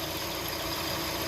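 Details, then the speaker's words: Hyundai Tucson idling with AC on and compressor clutch engaged: constant hissing, humming drone over the idle from a worn belt idler pulley bearing; bearing to be replaced, noise seemed fine with AC off. "it looks like this bearing is making a noise definitely making a noise i got the ac on the clutch is engaged"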